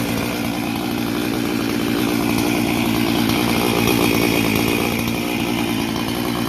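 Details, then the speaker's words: Husqvarna 268 chainsaw on first run after complete rebuild: steady, crisp high-revving buzz holding pitch without bogging or sputtering; normal running. "Boy, does that sound nice."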